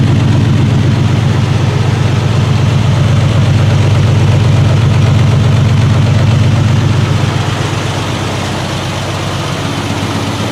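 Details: 1968 Triumph TR250 restoration, running on jack stands after gear checks: deep, even idle with a steady low pulse about four beats a second; smooth, improved after adjustments.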